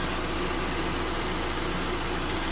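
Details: 2022+ Honda Civic LX 2.0-liter at idle, belt reinstalled: smooth, even idle with steady low hum and no squeal, chirp or rattle from the belt drive; the earlier noise is gone.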